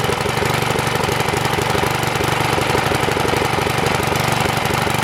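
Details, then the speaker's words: Troy-Bilt tiller small engine, bought locked up, after carburetor float work: rough uneven chugging about four beats a second that falters and stumbles, dying after unchoking; owner suspects not enough fuel, float and bowl may need replacing. "so it runs ah the carburetor it was unchoke and started dying so obviously he's not getting enough fuel"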